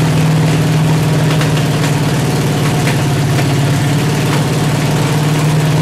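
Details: 383 stroker V8 with 1.6:1 roller rockers on an engine stand, open headers, water-only cooling at 210°, after 2000–2200 rpm break-in. Lumpy idle with spitting and popping; tight valves held open, valve adjustment and idle setting still pending.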